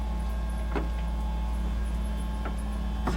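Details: Interior bedroom door after removing the hinge pins and greasing all three hinges: the door swings over a steady room hum with only soft latch clicks and no hinge squeak.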